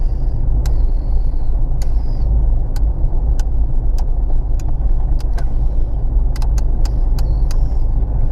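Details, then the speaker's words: 1987 Saab 900 with 1988 B202 2-litre 16-valve turbo engine, stock T3 turbo, Saab 9000 Trionic 5.5 management, driving: short airy hisses and light clicks over steady rumble as engine-vacuum dash vents actuate normally. "One thing I've always found really cool about 900s is that the interior dash vents work off engine vacuum, so if you can hear it while I'm driving along."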